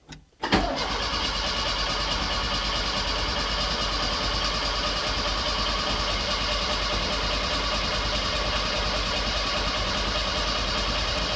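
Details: Autobianchi A112 Abarth 1050cc race-spec engine after chain-to-cambelt conversion, low oil topped up: steady, even starter whir for about ten seconds with ignition disconnected, cranking to build oil pressure through oil cooler and big filter; normal cranking.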